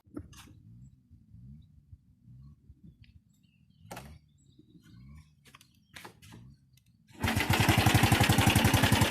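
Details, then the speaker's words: Older Honda Wave 110i after ECU reset and battery disconnected: starts easily, quiet steady idle, then picks up cleanly into a fast, even beat with no stumble or cut-out; earlier cutting-out fault is fixed. "อย่างที่เห็นครับปรากฏว่าสตาร์ทติดได้ง่ายเดินเบาได้และบิดติดมือไม่มีสะดุดหรือวูบ"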